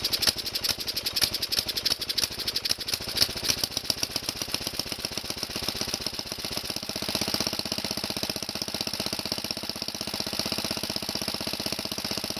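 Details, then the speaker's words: Kohler tractor engine cold-started on last year's gas with fuel squirted into the intake, running on half choke. A steady, even single-cylinder putter; it sounds good. "That sounds good. I'm going to leave the choke on halfway. That's another good sign."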